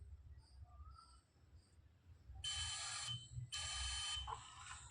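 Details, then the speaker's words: Multimeter continuity test on an inductor coil, leads on both terminals: two shrill beeps of about half a second each, beeping either way round, showing the coil is good. "इसमें भी देखिए आपको beep की आवाज़ मिल रही है। इस प्रकार देखिए, इसमें भी बीप की आवाज़ मिल रही है।"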